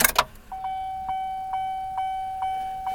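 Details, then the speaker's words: Car cabin after a new radio install: a clear, repeating ding about twice a second over a quiet cabin, never heard before the radio was fitted. The source is unknown. "you hear the dinging noise never in my entire life have I ever heard a dinging noise like that before that radio was in it was a weird dinging noise"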